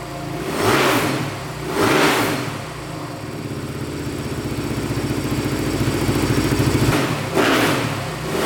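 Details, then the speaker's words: 2008 Suzuki RM-Z450 single-cylinder dirt bike, after the throttle position sensor was set to 6 volts: several clean revs climbing and falling smoothly, no popping or backfiring. "So, setting that throttle position sensor to 6 volts really helped a ton. It's really smoothed up the throttle response. Sounds great. No popping, no backfiring. Sounds great now."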